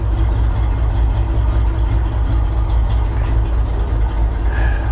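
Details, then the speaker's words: Truck, automatic, 95,000 miles per gauge, salvage car with disconnected throttle-body hoses and wires and loose passenger-side spark plug boots: deep, uneven, loping, stumbling idle, running very poorly and barely staying lit before it dies. "well that doesn't sound good does it there it is yeah it runs very poorly very Orly"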